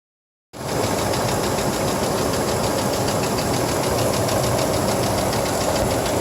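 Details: 1997 GMC Jimmy, noise began after driving through a puddle in a rainstorm and persists days later: after starting, an uneven knock of nearly four beats a second over a low idle. Engine knock, cause unknown.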